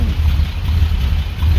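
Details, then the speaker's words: 1945 Jaguar MK4 2.5 after coolant pipe replacement and engine flush, cold morning start after starting trouble the day before: low, even idle with a steady beat, no misses or knocks, all cylinders firing; smells a bit rich. "But I think she's acting very good this morning because yesterday I had massive problems getting it to start."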